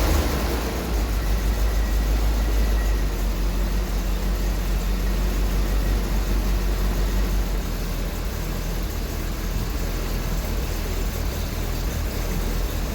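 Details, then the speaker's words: Triumph TR7 just after an inline fuel filter install, starting up: steady, even low engine rumble with no stumbles or misses, fuel flowing through the new filter: normal running. "All right, so we are up and running. Get around the other side of the car, up and running."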